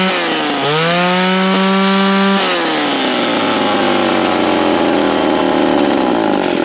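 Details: Old Remington SL-11 A two-stroke chainsaw, reassembled after oil was found fouling the plug, catches, runs up to a high steady scream, then settles to an even idle with no misfiring.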